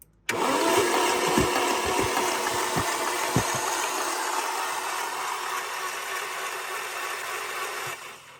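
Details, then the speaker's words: Alfa Romeo 145 Cloverleaf cranked after sitting eight years, with fresh fuel and the immobilizer light staying on; uneven starter cranking with irregular thumps about four per second, no firing, then winds down; rough-sounding starter suspected. ">> If anything, just sounds like a rough starter. >> But you just you just woken it from the dead, really, haven't you?"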